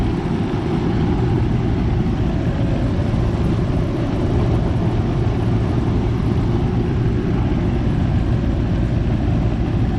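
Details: Goodman AC condenser just started after replacing the 45/5 MFD capacitor: steady low hum with even fan rush, no clicking or buzzing at start; compressor and fan run normally, head pressure still high before coil cleaning. Normal running.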